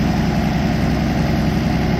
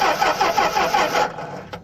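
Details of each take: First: 1964 Plymouth Belvedere slant six with a Holley two-barrel carburetor, after a new coil wire fixed the no-spark problem: a low, even idle thump at about four beats a second with no misses or knocks, so the engine is idling healthily. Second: 1964 Plymouth Belvedere slant six with a 3-on-the-tree, stored in a barn for decades: the starter churns evenly for about a second without catching. The fuel pump works and the carburetor bowl is full, but there is no spark.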